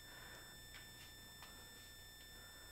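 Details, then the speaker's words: Audio in garage live stream, phone removed without effect, suspected power adapter: steady high whine with clean overtones, unchanging; ground loop whine, fixed right after. "still a power adapter sound oh let's see if this fixes it what about that sound does that fix it"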